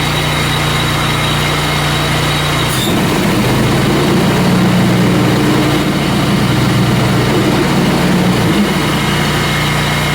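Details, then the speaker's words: Scag zero-turn mower charging-system test with blades engaged, seat switch jumped, run at high RPM: steady engine note dips briefly as blades engage, then settles smoothly with no misses; normal running under load, voltage held 14.4–14.5 V. "Alright, so now we're going to check the charging system with our blades on."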